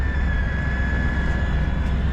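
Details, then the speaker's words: 1989 Ford F-150, fuel-injected 302 V8, four-speed, odometer 66,771 (at least 166,000), cold morning around 20°F after a hard start: even low rumble at cold idle, no misses or knocks, faint steady whistle; runs good, normal idle. "But there it's idling. It runs runs good. Starts up okay."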